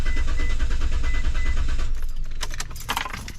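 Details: 2004 Mitsubishi Montero cranking, no start: starter spins the engine at a steady, even pace of about three turns a second but it never catches and stops; spark confirmed by timing light flashing, so no fuel getting through.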